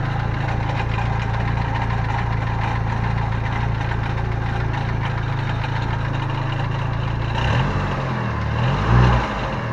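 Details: Steady idle with a loose, uneven metallic rattle over the low drone and a brief blip near the end; owner first feared rod bearings, but the Fidanza flywheel starter ring was loose.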